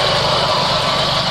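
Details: Proton Wira 1.5 idling: rough, gritty high-pitched whir over the exhaust note, heard in the engine bay; the alternator bearing is worn out.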